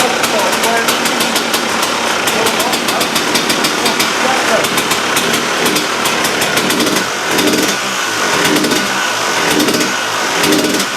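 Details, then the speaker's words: KTM two-stroke after replacing the reed valve: crisp, clean revving with a sharp, even note, no misfire or hesitation; much better than before the repair, running healthy. "So yeah, we'll have a little listen now, guys, and you can see the vast difference that the engine sounded like to what it is now."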